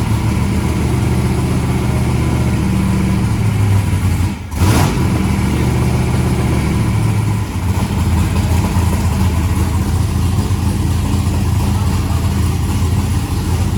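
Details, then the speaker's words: Turbo methanol hot rod engine with a 36-1 crank trigger on its first start, open pipes: deep, steady rumble at idle with a quick throttle blip and clean pickup, no misses; acceleration circuit judged on point, oil pressure at idle thought a little low. "oh it sounds good I'll give you a Facebook well the acceleration circuit is is on point here"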